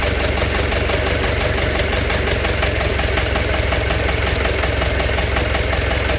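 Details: Engine knock at steady idle: a sharp, regular metallic knock repeats over the engine note, about once per cycle; cause undetermined.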